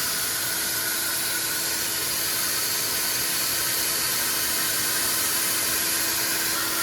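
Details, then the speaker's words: R53 Mini Cooper on jack stands, engine running: loud constant airy hiss, little low rumble; exhaust leak felt low down, past the flex pipe toward the catalytic converter, possibly a hole. "well I'm hearing air hearing a lot of air"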